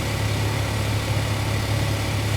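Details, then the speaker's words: After zip-tie fix, 180k-mile Chevrolet Cobalt idling steady and even; recirculation door actuator behind the dash now closes quietly with no more clacking or tapping, previously noisy at startup. "Now I'm going to close it, yep. It's not making a noise anymore."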